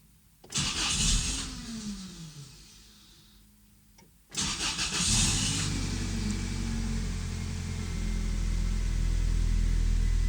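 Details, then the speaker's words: 1997 Toyota Tacoma 2.4L four-cylinder started cold after installing new Toyota fuel injectors and throttle body cleaning; first crank fades, second catches into a steady, even idle with no shake or misfire. "engine is sounding pretty good so far the vehicle is still warming up at the moment"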